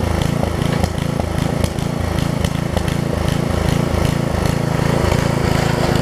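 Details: Craftsman 17-inch rear-tine tiller with 5hp horizontal Briggs engine, probably 1990s, test-tilling after a new carb diaphragm; chugs at a low, steady, slightly uneven beat while holding speed. It runs and tills; a tiny diaphragm fuel leak remains.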